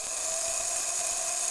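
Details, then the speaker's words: Vintage Triang/Hornby model railway locomotive, stored in a shed box for years, run in reverse direction: thin steady high-pitched whir, no stutter or grinding; still runs normally. "Well, there's a shock. Something that's been in a shed, in a box, for years, and it still runs."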